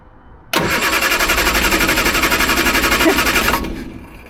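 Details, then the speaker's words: Triumph Herald, Stromberg carburettor, choke on: about three seconds of even cranking, roughly four beats a second, never catching. Jet found wound fully in, mixture not rich enough per owner; jet then undone a bit. Crank no start. "I think the jet needs to be adjusted. I think it's not running rich enough because I had to put my finger in to get it to work. Right, look like the jet was wound all the way in, so I've just undone it a bit."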